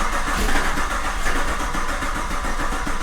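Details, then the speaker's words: Old Camaro's 1000+ hp engine swapped into the new Camaro, fuel system unhooked, cold night in the shop: steady rhythmic starter chug for about three seconds with no firing, engine spinning freely; normal cranking without start. "Everything fuel-wise is unhooked. Okay, here we go, kids."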